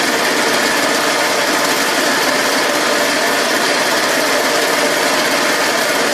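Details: Go kart, Custom Model 1, before installing pod filter, carb jet and exhaust (stock setup): steady high buzzy drone holding even speed with no misses or knocks; engine runs healthy.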